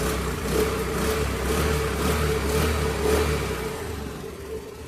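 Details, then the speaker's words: Honda Activa 6G after replacing two failed rocker bearings that caused a heavy tappet noise which repeated tappet adjustments did not cure: steady, even putter with a smooth low hum and no tapping; normal idle after repair. "सारा सामान अभी मैंने लगा दिया है, अभी आप check करें, गाड़ी का आवाज़ एकदम ठीक हो गया 100%।"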